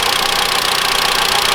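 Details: 2013 Mitsubishi ASX 1.8 petrol, CVT, 448,000 km, new alternator pulley. Stethoscope on the bracket where the old slipping pulley's knock used to carry: a smooth, evenly pulsing idle with no tapping or squeal; normal.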